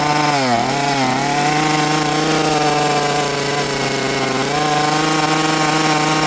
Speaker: Okay friends, that was full throttle. Let's hear it again. This thing will not throttle cleanly and it will not idle.